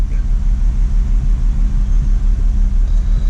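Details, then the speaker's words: BMW X3 3.0 with P0306: deep lumpy shaking idle with regular stumble about three times a second, cylinder 6 misfire traced by swapping coil six to cylinder one. "hey this is tim ah bmw x3 3.0 later i got a cylinder six misfire shaking and shaking to shake"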